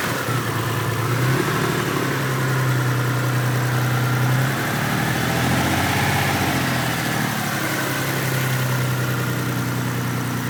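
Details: Mitsubishi 3000GT VR4 V6 at low idle: uneven, stumbling beat about three times a second from a repeated misfire; owner unsure whether a valve problem or just a bad misfire.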